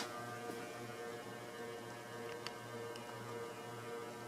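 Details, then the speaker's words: Antique large Diehl ceiling fan, c.1920s, 40-cycle motor, underpowered: at high speed heavy steady low electrical hum and whine drowning the blade whir; loud motor hum, cause unknown. "and this thing hums insanely L yeah Mak a lot of noise"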